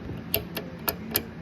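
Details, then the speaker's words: WRL Globe Champion 300 transmitter VFO band switch after its bearing and wipers were cleaned with alcohol and blown off, turned by hand: light crisp detent clicks with no binding; it now moves freely where before it could not be budged. "that switch now moves pretty free I'll show you I mean I can move it with my hand"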